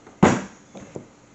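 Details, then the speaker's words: 2005 C6 Corvette driver-side door window closing after both window regulators were replaced: one sharp heavy thud as the glass reaches the top, then two light clicks. The window hits a little hard at the top; owner unsure it's bad. "it does seem to hit a little hard at the top When I close it"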